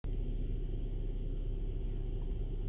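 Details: 2016 Honda Civic, about 78,000 km, noise started after dealer oil change: low, steady rumbling grind with a gargling edge when shifted to Drive at a standstill, growing worse over time; dealer couldn't reproduce it, cause unknown.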